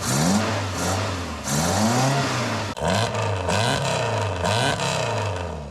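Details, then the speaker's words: Mk2 Ford Escort with swapped ST170 four-cylinder on trumpets, first start: repeated rev blips, rising and falling but soft returning, lots of fuel spitting from trumpets; running rich, needs jetting on the dyno. "Yeah, a lot of fuel seems to come out of these trumpets when you rev it."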